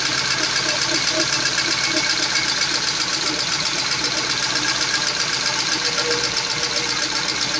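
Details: Peugeot 206 CC S16 after replacing hydraulic lifters and fitting new timing and accessory belts, first start: quick, even light ticking nearly four a second over thin, hissy idle; new lifters ticking while oil pressure builds.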